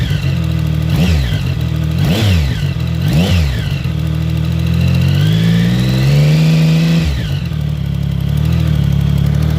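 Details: 2014 Triumph Speed Triple engine blipped and held at higher revs, a light tick under the exhaust note: exhaust leak from loose header bolts.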